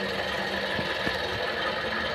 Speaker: Hai suara mesin dengung kasar dari water pump water pump yang ini nih